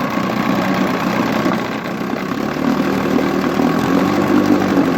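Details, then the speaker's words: 1959 Johnson QD-20 10 hp outboard in a test barrel, first run after cleaning, polishing and gapping the points, cleaning the plugs, new coils and draining dirty gas from the untouched carburetor: steady, even fast idle with no stalling or misses; runs healthy. "Sounds really good I didn't even do nothing to the carburetor, nothing."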